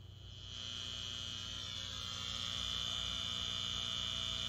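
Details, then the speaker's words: Bestek 300 W pure sine wave inverter on a 12 V source powering a micro bass amp: steady high-pitched whine over low hum, unfiltered MOSFET high-frequency switching noise, not a ground loop; needs capacitor or ferrite choke filtering. "it's actually the unfiltered ac side from the mosfet switching at a very high frequency that noise would normally have to be filtered through a bunch of capacitors or a ferrite choke in order to remove that buzzing noise that you're hearing"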